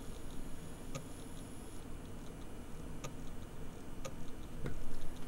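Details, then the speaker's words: Buried bare hard drive, recovered after one year underground in a freezer bag through a Canadian winter, powered up with the microphone moved close: sharp clicks about once a second over a low hum, a modified click of death after data copied successfully. "appears to be doing a very modified Click Of Death so let me uh me power cycle the disc again so I think I can conclude that the disc is very very unhappy"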